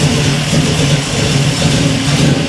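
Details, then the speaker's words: 1967 Camaro V8 idling in neutral just after its first key start following a rewire with a cheap kit: deep, steady burble with an even lope and no knocks or ticks; healthy idle. "this thing cool man it idle's nice and oh yeah that's pretty exciting"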